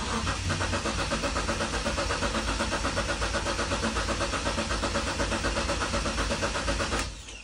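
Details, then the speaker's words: BMW E36 after 8 months in the garage and a poly bushing and rear suspension rebuild: steady even cranking about four beats a second that never catches; no start because fuel connections were not reconnected, fuel pump not heard running. "Nestartējās, jo es īsumā nemaz neesmu neko te pie degvielas saslēdzis atpakaļ."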